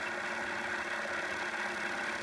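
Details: KitchenAid stand mixer after part replacement, speed adjusted via screws: steady even motor hum with slow smooth churn, about one planetary turn per second; normal low speed.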